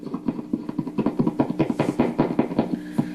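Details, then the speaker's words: Epiphone Valve Jr tube amp with Billy Gibbons mods, after fixing its low output: uneven thumps about two a second with a low buzz that get quieter as the volume is turned down. Shielded cable suspected microphonic. "shielded cable appears to be microphonic which you can hear as I turn it down it gets a little quieter"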